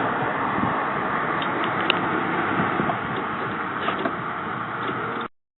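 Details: 1999 Saab 9-3 SE after a head gasket replacement, new plugs, good battery, starter fluid sprayed: starter churns at about four beats a second, uneven and flat, and no cylinder fires. Cranks but won't start; the exhaust cam may be one tooth off.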